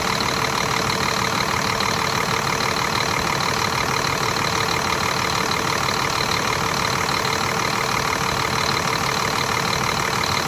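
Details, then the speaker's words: Scania R400 DC12 truck diesel, first start after rebuild (liners, pistons, camshaft replaced), automatic gearbox fitted: steady, even idle with smooth regular beat, no knocking; revs sit high, put down to poor programming; healthy normal idle. "Закрывает горник, поднимает обороты, поэтому обороты такие большие."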